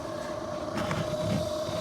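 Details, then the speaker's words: 2003 Chevrolet Avalanche 1500 blower motor, passenger-side, cover removed: steady whirring hum with constant mid-pitched whine. Blower motor bearing noise. "and my blower fan has developed a noise"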